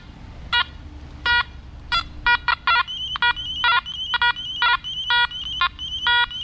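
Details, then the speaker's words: Nokta Macro Multi-Kruzer metal detector with a ring and penny near the coil: repeated short bright electronic chirps in irregular bursts about one per second; overload warning tone. "so that sound is the machine overloading so let's see if it does it with the quarter and the penny or if it's just maybe the ring and the penny is causing it to overload"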